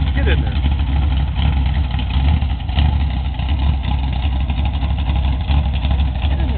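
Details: Freshly built Chevy big-block V8 (10:1, all forged, mechanical roller) destined for a 1980 Camaro, first start, normal idle: deep, lumpy, steady throb with no tapping or knocking.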